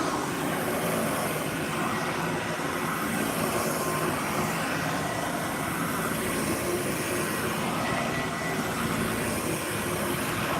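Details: Vacuum cleaner motor running: a steady rushing roar with a rough, gritty edge and no speed change. Motor needs bearing work; bad bearings suspected, possibly re-greasable.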